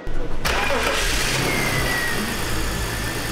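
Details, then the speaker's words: BMW X5 E53 after replacing the oil separator and four related hoses to fix an air leak that logged misfire codes on cylinders 1–6: cold start, quick catch, stable rpm, no misfire, with slight cold roughness. "차량은 rpm이 굉장히 안정되어 있고 전에는 1번부터 6번까지 골고루 하나도 빠짐없이 시라코드가 있었어요 지금은 이제 쉐라 코드도 당연히 없고 미스파이어에 느낌도 전혀 없어요 엔진 런도 굉장히 좋아요"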